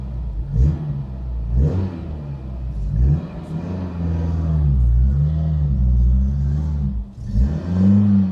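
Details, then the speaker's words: Barn-find Citroen BX 4WD, not run for about 13 years, after refitting the missing engine-bay parts: a smooth, deep note climbs and settles cleanly, with no knocks or misses; it still won't prime and needs fuel to start, and relay issues remain. "foreign so the BX is running now there is lots of issues still it's not really priming when I want to start it so I need to give it a bit of fuel to make it run but it runs pretty nicely"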